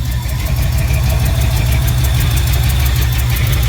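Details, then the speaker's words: 1968 Ford F100 with 360 V8, after rebuilding a Motorcraft 2150 carb that fixed a surging idle; Flowmaster exhaust. Deep, rumbly idle with sharp ticking in time with firing from a leaking exhaust manifold. "So you can probably hear that manifold leak. I'll address that next probably."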